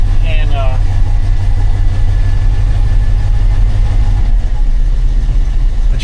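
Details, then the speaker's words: 1980 Dodge W200 Sno-Commander plow truck V8, not run in a while, cranked without choke to build oil pressure, then choked: starts right up, deep even rumble settling into steady cold idle, no knocks or misses; healthy. "Okay, it's making oil pressure. Now I'll set the choke. It should start right up. There we go."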